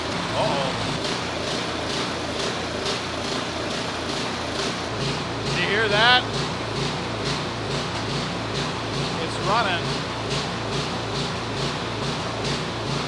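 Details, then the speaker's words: Snowblower small engine, just reassembled after repair, bolts not all in: starts and runs smooth briefly, then settles into a pulsing, uneven beat surging about every half second; rough running, cause unknown. "but something still ain't right it was running and it ran smooth for a little while but then it started that I don't know what's causing that"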